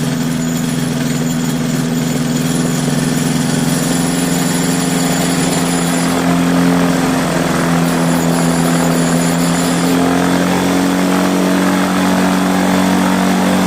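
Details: Quicksilver ultralight two-stroke with newly installed 3-blade Warp Drive propeller, static ground run-up at full throttle reaching about 6,200 RPM after warm-up; steady high-pitched drone with even prop thrum, no misses or surging. Normal full-throttle run-up.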